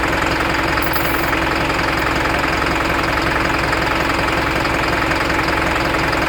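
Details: Isuzu NPR diesel at idle, check engine light with DTC P0202 cylinder 2 injector circuit from a loose connection; rough regular knock about 160 per minute as the injector cuts out: injector circuit fault misfire knock.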